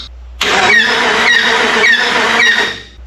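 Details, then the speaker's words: Jeep Grand Cherokee 4.7 H.O. V8, old engine that quit running while driving: revving with a rough hiss and gurgle pulsing about every half second as the radiator cap lifts up and down, overheating. "y'all can't see it but the radiator cap is trying to it's like picking up and down so was just driving and quit running the radiator Cap's talking to"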